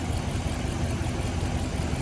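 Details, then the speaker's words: 2016 Ram 1500 5.7 Hemi with cylinder 3 misfire persisting after all coils and 16 plugs were replaced; misses at idle and around 2,500 rpm but not under load: deep idle with uneven, stumbling beat, root cause unconfirmed. "Yeah, it's missing at high or idle. Number 3. It's sitting here just a missing at idle now."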